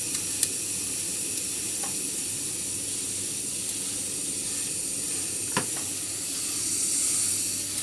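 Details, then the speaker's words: Old Saunier Duval gas boiler with fault 05, hot water at maximum, gives a steady, even hiss with no kettling or knocking: the heat exchanger is quiet at full power. A faint rubbing behind comes from the pump, the actual fault. "Même à pleine puissance, le corps de chauffe ne fait pas de bruit."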